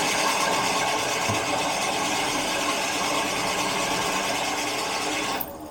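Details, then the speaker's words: Carbureted 1975 Jaguar XJ12 V12, max choke: several seconds of steady, fast cranking with no firing; fuel pressure is building, owner suspects the chokes aren't working at all, starting fluid is next. "okay, we're getting over pressure at least. My guess is that the chokes are not working really on it, but we'll see if we can get it going."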